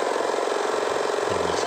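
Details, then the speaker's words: 2500 generator (genset) after repair of an oil leak, with the magneto/flywheel side opened to reach the suspected oil seal: steady, even single-cylinder putter with constant beat, no knocks or misses; engine now idles smoothly. "ini mesin sudah bagus warnanya sudah halus tidak ada masalah tadi"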